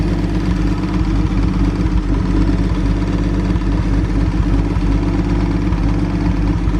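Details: 1937 Talbot 3 Litre straight-six, recommissioned after decades unused, on a brief run while things get used to running again. Steady even low idle, smooth firing with no knocks or misses throughout; healthy six settling in.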